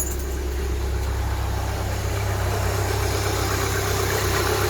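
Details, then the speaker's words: Steady, low idle of a Rover 45 petrol engine on a cold start after sitting for weeks, with no tapping from the top end. The tappets are now quiet after repair work, though some drive-plate rattle is still noted. "Do you see how quiet the tappets are now I did all that work? All the tappets have gone right down, even on a cold start. They don't make a sound."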